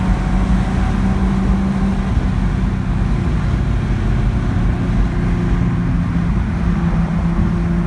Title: 71 Datsun 240Z misfire